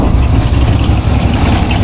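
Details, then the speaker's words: 1982 Chevy truck after a warranty alternator replacement, started to test charging, with the gauge showing 14.5 volts. Deep, even idle with no misses, knocks or whine: normal idle. "So, we're gonna fire it up and see if the alternator is working or not."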